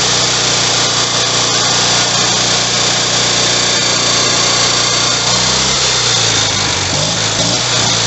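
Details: Rebuilt Kohler Magnum M18 single from a Cub Cadet 1882 on a test stand: fires right up, steady even drone with bright upper buzz, no knocks or misses; runs clean and healthy.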